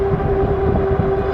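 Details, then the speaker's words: Kingbull Literider e-bike, 750 W 48 V hub motor: steady mid-pitched whine over rolling noise when throttle applied, with throttle reacting about 2 seconds late; cause unknown. "There's a delay. Like right there, you can hear the motor whine. That took a good 2 seconds before it started to react."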